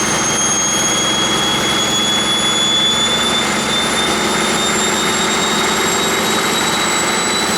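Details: 1959 Caterpillar D337F diesel generator set, ex-hospital, barn-stored 10–12 years, about 959–960 hours, running unloaded and barely at operating temperature: steady, even run with a smooth high-pitched whine, no knocks or misses; normal unloaded running.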